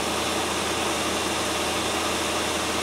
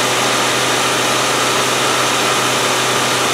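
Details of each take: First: 1997 Land Rover Discovery 1 idling at about 1000 rpm, slightly high, steady even hum with no knocks or stumbles; a bit rattly at startup, now settled and healthy after the no-start fix. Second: 1997 Land Rover Discovery 1 idling loud, busy and fast after a starting fault was fixed with solder; power steering took nearly a litre to top up, owner suspects a bad seal.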